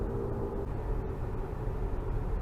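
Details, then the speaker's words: AWD 2005 Infiniti FX35 cruising: steady low speed-related rumbling drone with slight pedal vibration, still present after replacing the front propeller driveshaft and U-joints; wheel bearing checked and thought unlikely, cause unknown. "So it's back to the drawing board, figure out what is making this noise. And there's just the slightest vibration in the pedal."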